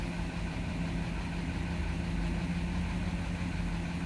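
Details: Vehicle that had a misfire (check engine, traction lights on), idling as codes are cleared: steady, even low idle with a smooth rumble and no stumble or skip; running normally.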